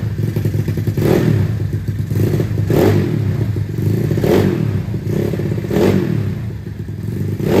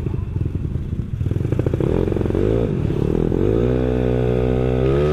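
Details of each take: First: Yamaha Mio bored to 200cc, carburetor not yet retuned, heavy CVT rollers, weak starter one-way clutch: deep loud exhaust swelling with each throttle blip about every 1.5 seconds, aggressive but still reasonable; clean, healthy sporty note. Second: Yamaha Mio scooter built to 200cc, first ride at night after rebuild: uneven putter at low revs, then smoother rising note as it pulls away; runs rich and stumbles at the bottom end.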